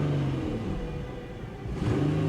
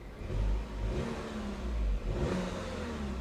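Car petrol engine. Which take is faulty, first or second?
first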